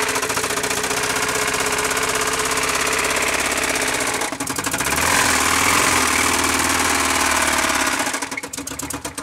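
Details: Toyota 22R 4x4 engine started after throwing a connecting rod out the side of the block: loud, rapid metallic hammering over a rough run, sparks flying off the crankshaft.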